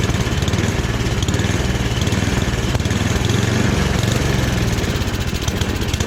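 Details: Free rebuilt snowblower with small single-cylinder engine, running at medium throttle with transmission working: steady even beat, no misses or surging; healthy normal running.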